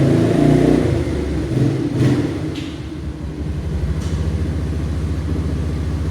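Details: 1989 Yamaha Moto4 200cc quad after new timing chain, refitted with old carburetor and old throttle cable: steady thump, revs rise cleanly with throttle and settle back evenly, no misses or knocks; runs fine.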